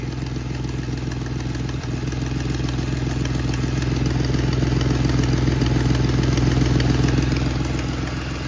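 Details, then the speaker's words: Ford Mustang, warming up, suspected AFR issue or vacuum leak: steady idle with sharp regular puffing tick on each firing pulse, about three per second; apparently a leaking exhaust gasket. "And it sounds like some sort of exhaust. And I think I just figured out what it is. That, my friend, looks like an exhaust gasket."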